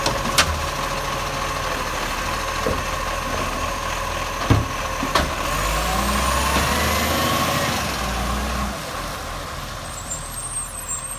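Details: Acco garbage truck #2538 diesel: loud, raspy idle with sharp chuffing and pops over the engine from an exhaust leak, very loud.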